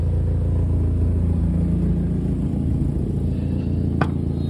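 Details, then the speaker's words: 1996 Mazda Miata 1.8 four-cylinder after new spark plugs, ignition wires and valve cover gasket, fully warmed up after about 10 minutes: steady, even, smooth idle, no leaks; a known exhaust leak at the O2 sensor. "no leaks everything's running good i would call that a success"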